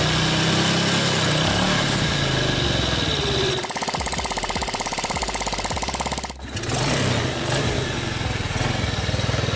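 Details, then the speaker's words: 2006 Yamaha Vega R new motorcycle after engine teardown and parts replacement for a harsh, rough-sounding engine: even idle with regular firing pulses that dip briefly and recover cleanly; smooth, no harshness. "Oke teman-teman untuk di Yamaha Vega ini udah kelar dan udah hidup dan mesinnya juga udah halus"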